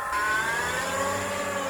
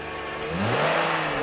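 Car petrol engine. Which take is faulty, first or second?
first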